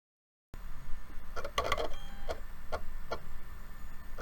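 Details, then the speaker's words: PS4 CUH-1215 Blu-ray optical drive at power-on, drive found with separated spindle lock magnet; irregular ticks and whirring chirps repeat over low hum as it keeps searching for a disc it can't find until it gives up, won't accept discs. "when you turn it on uh it the optical drive makes a real mechanical and not good repetitive sound uh it's almost like it's searching for a disc that it it thinks is there but it's not finding so it'll just do it over and over again until it gives up"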